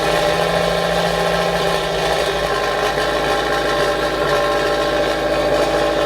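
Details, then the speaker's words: Subaru BRZ with a new Karma center-exit valved exhaust on its first cold start: a steady, subdued idle with a muffled, closed-off tone instead of a straight-piped sound; the exhaust valve is stuck closed. "the downside of this is that the one you just heard that Cole sir you just heard was muffled"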